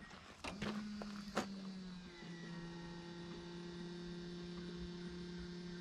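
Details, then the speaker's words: Datsun 280ZX first start after replacing three bad injectors (had been running on three cylinders, rough), vacuum lines reconnected, good compression: after a couple of starter clicks a steady, even idle hum with no stumble; smooth healthy idle. "all the injectors are all changed out we plugged everything back in all the vacuum lines and everything so this is the first start with good injectors good connections and good compression so here we go"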